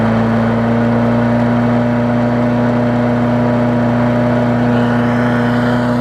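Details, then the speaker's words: Sycamore 19-inch push mower engine swapped onto an aluminum Craftsman deck, with spilled oil still burning off. Steady, even engine hum with a constant tone and no surging, misfires or knocking: running great, as it did on the Sycamore. "runs pretty good, so just like it did on the Sycamore mower. So there we go, running great."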